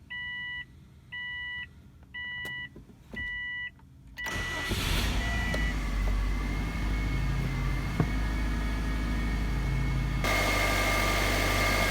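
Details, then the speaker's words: 2005 Saab 9-2X Aero, rebuilt engine after timing belt broke and damaged driver-side intake valves, reinstalled, couple sensors replaced: four door chimes, short crank, then catches and settles into smooth, steady, even idle with no misfire or knock. "we got it roughly running and then this morning I replaced a couple sensors on it and Florida fired up so here we go"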